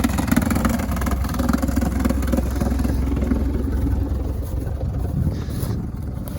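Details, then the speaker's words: 1982 Mercedes 240D W123 diesel, sat since about 2019, just got running: uneven, lumpy idle with a shaky rhythm that sounds horrible unless the throttle is held; smoke and suspected exhaust leak, damaged air filter housing; cause unconfirmed. "but it's running right now that sounds horrible if you don't hold this down"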